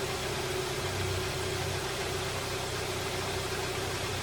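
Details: 2012 Hyundai Sonata idling after a radiator replacement while coolant cycles to bleed air: a steady, even idle with a smooth low hum and faint fan hiss, no misses or knocks. Running normally.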